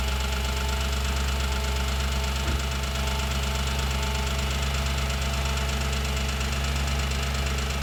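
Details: 2007 Audi S4 V8 at idle after a full timing chain job and new clutch and flywheel: steady idle with a quick light tick about twice per second; source of the ticking still unidentified.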